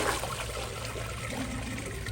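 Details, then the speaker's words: Glacier Bay PowerFlush toilet, bucket flush with the vacuum tube hole open: a soft trickle and gurgle while water shoots up through the tube, with no whoosh, and the bowl does not siphon. "that time i got it and as y'all can see it did not siphon"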